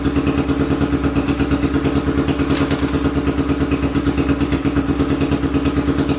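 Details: 800cc lawn pulling tractor engine, first test run in neutral with clutch pushed in, air box and half carb covers fitted; deep, even rumble with steady firing beat, no knocks or misses; sounds much better, normal running.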